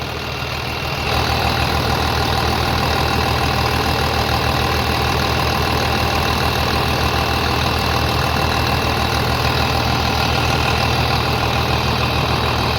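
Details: 3588 at 7,338 hours, idling on a freshly rebuilt engine with new cylinders and pistons; steady, even, smooth low beat with no knocks or misses, very quiet; a slight line leak was found, to be tightened; normal idle.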